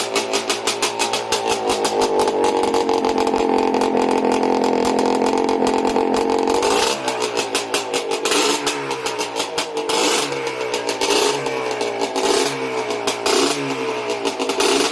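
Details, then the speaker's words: Yamaha Blaster two-stroke at its first start after a rebuild: a crisp ring-ding that holds a steady high rev, then blips up and down cleanly with no knocking. The rebuilt engine idles and revs normally. "mmm he's idle the blaster lives again and there's no knocking"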